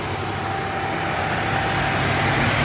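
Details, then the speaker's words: Cold Plymouth V8 with stock Carter carb, just started after sitting about 2 weeks: races at a steady, very high idle with no dip, held up on the choke's fast-idle step while warming up. "That caught much faster than it ever has previously. So that was a surprise. Idle very high."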